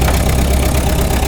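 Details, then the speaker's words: 1927 Ford Model T running: low chuffing beat with loud, slightly raspy puffing at every firing, noisier than most Model Ts because of a slight exhaust leak. "Now this one's a bit noisier than most because we have a slight exhaust leak, but we'll get her up to about 10."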